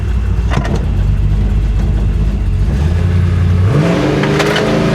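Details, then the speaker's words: 1966 Chevrolet Impala, salt-water flood car, driving: low drone and uneven rumble from the rear that climbs with speed; rear differential sounds bad, suspected damaged by submersion, not confirmed. "Oh, that rear end sounds so bad. All I want to do is drive this car."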